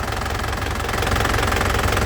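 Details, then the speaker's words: 2012 Isuzu Panther Grand Touring diesel, oil and filter due for a change so it cranked a little long: steady, even idle clatter with a low regular beat, not rough, no heavy knocks or misses, no wavering. Normal diesel idle. "Suaranya masih renyah dan halus ya. Renyahnya itu renyah halus gitu, tidak kasar, tidak bunyi plek ya, tidak ngeplek ya bahasa Jawanya. Ini tandanya mesin sehat seperti ini lur ya."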